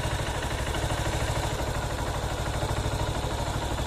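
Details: Honda CB190R single idling, valve area, on 20W-50 full synthetic oil plus Lucas oil stabilizer: even beat about three per second, no sharp valve ticking; settled and healthy.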